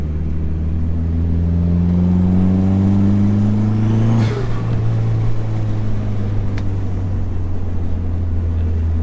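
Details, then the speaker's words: Dodge SRT4 turbo with new Vibrant Ultra Quiet resonator, accelerating around 2,000 rpm, internal mic inside cabin: note climbs smoothly, settles at a shift; loud but not drony, no rattle; healthy exhaust. "I'll have to see what it sounds like on the outside of the car, because inside the car it just sounds not drony but loud. 2,000 RPMs right now, a little more. It's not bad."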